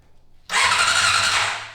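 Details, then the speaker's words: 1990 Honda CBR600 stored outside for ten years, spark plug fitted at the cap for a spark test: starter spins the engine in a short, even whir with a thin squeal, never catching or firing; crank no start, no spark. "I don't see spark. Me neither."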